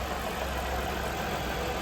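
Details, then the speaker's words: 2016 Ford Explorer 3.5 restarted after water pump replacement, still warming up waiting for the thermostat to open: steady, even idle with a smooth low hum and good oil pressure, no rattle, knocks, ticks or whine. "Sounds good. It's just reacclimating everything."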